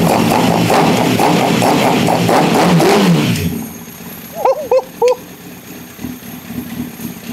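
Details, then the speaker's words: Lightly crashed Honda CBR1000RR, fuel pump suspect, fires and holds a steady, slightly lumpy idle for about three seconds before shutting off; engine runs, before coolant is added for hydrocarbon test. "no freaking way holy crap P I can almost not believe it right now that's insane it actually runs wow insane"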